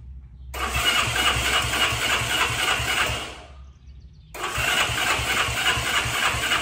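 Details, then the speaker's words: 1965 Honda CB77 Super Hawk at first start after restoration, with timing and tensioner set, plugs gapped, idle screws 2 turns out and mixture 1 out: two cranking bursts with sharp irregular backfire pops and no start; fuel is getting in. "So right away, I knew something was up because I got some backfires. So I knew my fuel was getting in. So I knew there was gas, but it was backfiring."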